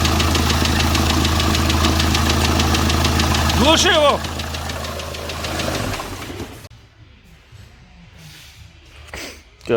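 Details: Diesel D4CB engine after break-in (run-in): steady metallic knock about three per second through the idle before the engine shuts off; cause suspected, not confirmed.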